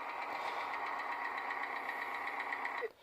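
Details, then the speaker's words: Fast, light, even clacking over the idle, about four a second, with no deep knock beneath; abnormal top-end valve train noise, suspected clogged hydraulic lifters or cheap oil needing a change, not confirmed. "now let's take a listen to the motor now they make a lot of noise but you can hear that clacking that's not normal"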